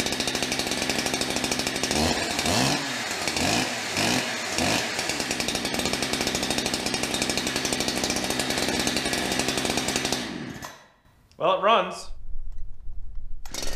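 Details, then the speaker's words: Brand-new Holzfforma 372XP chainsaw with a 28-inch bar, cutting wood: it bogs in the cut and hangs below full scream, never reaching high rpm, so it likely needs carburetor tuning. "cut's nice however uh sounds like it needs some carburetor tuning i'm sure you could hear it there it just doesn't want to seem like it wants to get into that high rpm"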